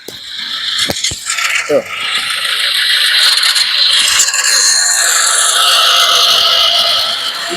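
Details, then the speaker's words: Nissan Navara D40 YD25 diesel, also emitting white smoke: harsh, rough helicopter-like whirring rasp over the running engine from the turbocharger blades striking the metal housing. "Enjin macam helikopter dia punya BL terkena besi ee kena macam helikopter punya bising Enjin dia"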